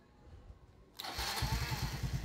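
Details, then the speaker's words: Motorcycle after clutch side reassembled and cleaned, push-button start, weak battery dropping to 9.4 V: catches and settles to a steady even thump; earlier turbo-like whine from clutch side is gone. "Wala na yung umuhuni. Yung umuhuni kaninang parang kala mo naka-turbo. Wala nang turbo, no?"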